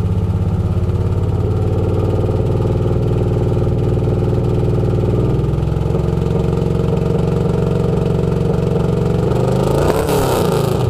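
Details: 1994 LT1 V8 from a Corvette in a 1995 Z28, 32k original miles, good compression, longtube headers, dual Flowmasters, no cats, revved 2k-2.5k-3k-4k with a steady stumbling misfire; misfires warm through powerband, above 3k cold; Opti, plugs, wires, TPS, fuel filter and pump replaced.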